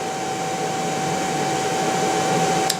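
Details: Motor recently rebuilt by specialists, run on an inverter: thin steady high whistle unchanged over the motor hum all run; owner suspects the motor, cause unconfirmed.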